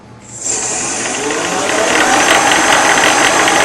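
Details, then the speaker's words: Shopsmith with DIY PowerPro upgrade running at 3450 RPM: busy fluttering bearing rattle because the two drive belts are at unequal tension; loosening one belt makes the rattle go away. "Now hear that bearing rattle? That's because the tension between the two belts are not equal."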